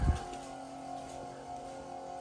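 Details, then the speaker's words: 24v 5.9 Cummins diesel Ram, key bumped after VP44 pump replacement, engine not running: steady mid-pitched whir of the lift pump priming normally, fuel pressure building at the sensor. "It just makes the fast run. You see the pressure building there. Hear the fast running down there."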